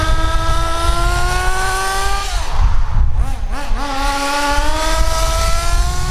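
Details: Kyosho DBX nitro buggy, tank 4 of a 5-tank break-in: 3/4 throttle in a straight line while pumping the throttle. High buzz climbs, dips off throttle, then climbs again, with blue exhaust. Rich, steady break-in.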